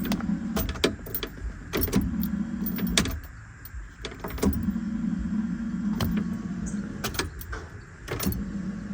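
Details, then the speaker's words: 41-year-old Porsche 944 after refitting the starter and finding a stripped wire, in neutral. Starter spins the engine in steady bursts with clicks between them, never catching; cranks but no start, owner finds no fuel and no spark. "the engine turns over but we don't have no start mind you I don't have no fuel or no spark at all"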